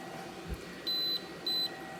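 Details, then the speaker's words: Allike SN1000 portable power station (1037Wh, 1000W 120V outlets) gives two long overload-alarm beeps and shuts off when a 1500W heater is switched to full; it resets afterward. "you hear that beeping so it's clearly set up that way that it cannot handle more than 1,000 Watts which is good and you can see a a light over here saying that it's in overload mode"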